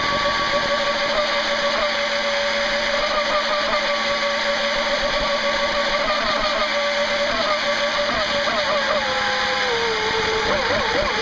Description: put oil in them and noticed she was a little slower and sounded aweful ! but she still ran! lol!